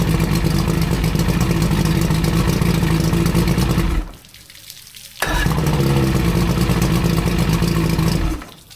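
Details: Older outboard after new head gaskets (had overheated, hard starting, water weeping from heads; one side still leaks slightly, hoses leak, sender unit not yet installed) runs with even steady drone, cuts out briefly, restarts promptly, runs smoothly; sounds healthy.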